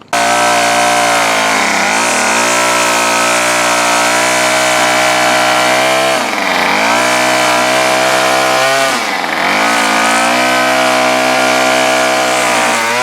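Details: Bolens BL110 25cc two-stroke trimmer after new carburetor, fuel lines, fuel filter, spark plug and air filter, carb unadjusted: screams at high speed, dips briefly on throttle and recovers cleanly; runs great.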